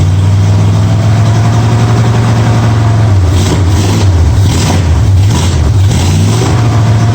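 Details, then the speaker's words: 1965 Mustang V8 with new headers after setting ignition timing to 12 degrees before, checked at number one cylinder: deep smooth rumble picking up cleanly through throttle blips and settling evenly; runs properly. "i put it where it's almost open and right at 12 degrees before and everything's good it should fire right up"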